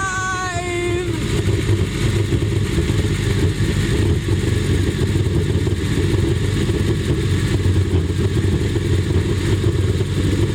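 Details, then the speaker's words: 4-year-old Yamaha jet boat engine, first start after sitting all winter, during spring maintenance with water on: brief rising whine as it catches, then even steady low idle, no misses or stumbles; healthy cold start. "Wow, started right up. No problem, no hesitation, no nothing. Purring along, and we have our water now on."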